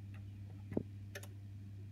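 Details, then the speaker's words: Honeywell heating programmer on a boiler system: soft single click when heating switched on, no clean click for hot water, then two near-simultaneous clicks when turned off over low hum; programmer relays switching wrongly. "almost to get that nice strong click nothing practically no and I turn this off you'll hear two clicks I"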